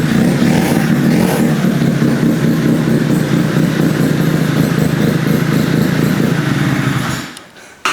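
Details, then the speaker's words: Rotary-engine-swapped Honda QA50 minibike, started in three pulls with choke on after sitting six months; fast, crisp, even exhaust buzz holding steady without misfires or stumbles; running healthy. "It started up like a champ. It's been sitting for 6 months and it started in 3 pulls."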